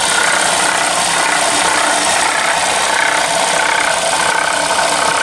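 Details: 2007-2013 Toyota Corolla idling: a busy metallic rattle and ticking from the engine bay, loud in the upper range; source unknown.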